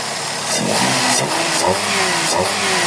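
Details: Suzuki Celerio with engine misfire issue, after replacing a faulty part; engine revs up and settles cleanly and evenly with no stumble or miss: firing properly now, normal running.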